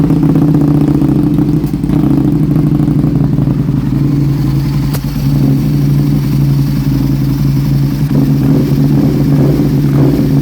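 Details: 2006 Aprilia RSV1000R, 1,300 km after a service: deep V-twin drone with a rattly, uneven beat as it revs and settles, possibly missing on one cylinder. Plugs, cables, crank position sensor and another sensor were replaced and vacuum lines checked; a small spark is visible at the front cylinder.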